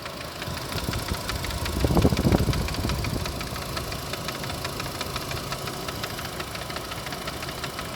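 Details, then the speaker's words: Renault Captur Life 2019 at 72,000 km, idling then revs rising: uneven rapid knock three to four a second, radiator cooling fan unbalanced by a worn rear copper bushing, hitting its own support; needs replacing. "ela fica assim gente a rotação de nota baixa ela fica se batendo toda então é o ventilador precisa ser substituído"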